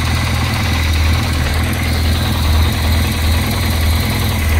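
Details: 205 first start after a four-month rebuild with a 206/306 flywheel and new clutch. Firing order changed to 1-3-4-2, ignition set only roughly, not properly timed. Lumpy low idle surging about once a second; rough running.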